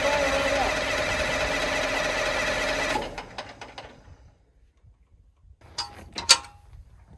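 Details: 2000 Stewart & Stevenson M1085A1 5-ton military diesel after bleeding and repriming fuel. About three seconds of steady cranking that never fires; owner suspects air in the fuel, a short dip tube, or low oil for the high-pressure rail.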